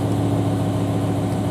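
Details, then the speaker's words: BMW M5/M6 (E60/E63) 10-cylinder idling: even hum with a faint repeating stumble; spark-quality monitor shows cylinder nine dead, causing drop to half motor; cylinder two code possibly an irregularity; failed #9 driver-side coil (US model) to be replaced. "it's moving a little bit but this one is definitely dead so looks like we got a misfire in the car that's causing it to go down to half motor and give me all this grip"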